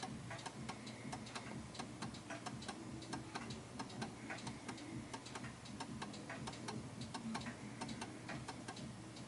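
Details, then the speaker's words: 1930s Enfield 8-day striking oak mantel clock before adjustment: steady tick-tock around ninety beats a minute with tick louder than tock, off balance; clock out of beat and stops shortly after. "So you can hear there's more tick than tock. Tick tock, tick tock, tick tock. So it feels like it's a little bit off balance, and I'm expecting it to stop any second."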